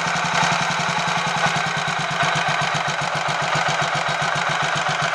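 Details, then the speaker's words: Royal Enfield 500 Machismo electric start single after the fix, a spindle with an oil hole found fitted the wrong way around, with 20W50 oil replacing ATF: even, steady thump at about one beat a second with no clatter or grind. It sounds healthy. "decompressor I think I'll take that as a small win that sounds a lot better all for the sake of having one tiny spindle that has an oil hole in it not quite halfway Along being the wrong way around"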